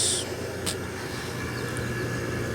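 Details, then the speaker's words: Kelvinator Masterpiece 12,800 BTU window air conditioner first run after sitting a decade and a half, low cool with compressor on: even rush of air over low steady hum and faint high tone; runs normally though not quiet. "look at that sitting for a decade and a half and it still runs I mean Merry Christmas that's awesome yeah there's not the quietest that's what it is"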